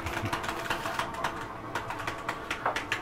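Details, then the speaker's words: Catalina 271RKS travel trailer slide-out reaching full retraction; fast light clicking ratchet over steady motor hum as the mechanism stops it going further, normal end-of-travel. "i want you to hear that don't worry when you hear that that's just a slap keeping itself from coming in any further"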